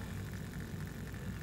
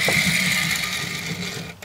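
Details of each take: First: Trix Collett 5600 model locomotive motor driving the idler gear; the idler ran smoothly on each tooth until one jammed, found to hold metal debris. Here a steady, even low whir with no catching or stalling: the drive turns freely. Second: Trix Collett Class 5600 2-rail model locomotive, a non-runner, first tried on a piece of track before servicing; a high buzzing whir wavers unevenly, then drops out and stutters in short bursts: motor running very roughly.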